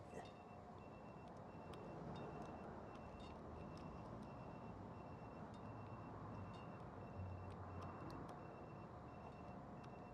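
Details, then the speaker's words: Citroen Ami with newly fitted tyre pressure monitoring system: a thin, high beep repeats about twice a second because the low-pressure alarm threshold was set to 2.2 while the rear tyres are at 2.0. "Now that's you'll hear that, that's making a noise. And the reason it's making a noise, let's just go in. Front one's 2.1, the bottom one's 2."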